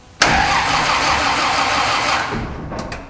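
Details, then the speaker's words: Toyota FJ40 with 2F engine, no spark, distributor removed to watch it turn: starter turns engine over steadily about two seconds then stops, never fires; cranks but no start. "Uh, today I'm going to try and figure out why I don't have spark. Um, seems to crank over, but no spark."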